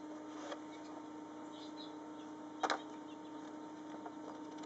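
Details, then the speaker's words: VorTech MP10 aquarium pump on a reef tank running in constant current mode at maximum speed: a steady, even mid-pitched motor hum with a few light handling clicks; normal operation. "you can see the LEDs are moving across left and right to show you the speed this is on maximum"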